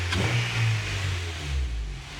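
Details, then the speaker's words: Daily car engine after a day of repair work: revs and settles with smooth, even drone, the earlier clacking rattle gone; now running normally. "so it has been a day and a whole lot of work since the last clip but as you can hear she is running there's no clack Lackey like you probably picked up on"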